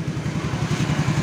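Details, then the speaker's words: Yamaha X-Ride (Mio engine 54P) single-cylinder after replacing worn piston and cylinder block: even steady idle with no knocking; earlier rattle when revved at 3000–4000 rpm is gone, running smoothly. "langsam normal ya, seperti pada awalnya langsam normal, tapi ketika digas kita dengarkan ya. Udah halus ya, yang sebelumnya kan kretek gitu ya."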